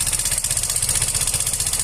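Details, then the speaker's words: Yamaha Fino 125 scooter at idle: loud, rough, fast clattering rattle from inside the engine. The CVT is ruled out, as the noise is too harsh for a roller problem, so the fault is internal to the engine. "Oke teman-teman, kita dengarkan di sini suaranya sangat berisik sekali ya. Ini sudah 100% bukan dari CVT."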